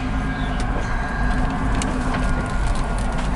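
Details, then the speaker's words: 2003 Nissan Murano driving at about 15 mph: low road rumble with sharp pops about every second, a popping and binding driveline. A bad transfer case is suspected rather than the previously repaired CVT, not yet confirmed. "But that transfer case is bad. It will do that. It will pop, pop, pop."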